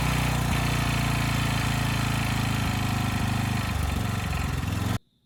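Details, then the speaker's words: Blown Briggs & Stratton single in a Storm Responder generator, running hard: loud, steady knock at about 220 per minute from low down over the exhaust beat. The owner thinks the engine is probably junk. "and i hope it comes through but this thing's making a lot of noise and i'm kind of in denial but i think it's"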